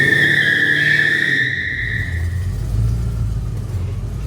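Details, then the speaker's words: Ford AU XR8 Falcon V8, sat about 5 years, fresh second-hand exhaust system: revs then raspy rumbling idle; exhaust manifold leaking on the right bank, where the old gasket was reused; new-gasket left bank is sealed. "This side's sweet where I put the new exhaust manifold gasket, but this side where I didn't is leaking like [ __ ]"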